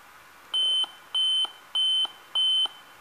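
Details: Dell Inspiron 14R 3450 laptop powers on with lights but no display, giving four short high-pitched beeps in a steady series: memory fault, traced to the memory slot, possibly bad RAM; fixed by removing and cleaning memory.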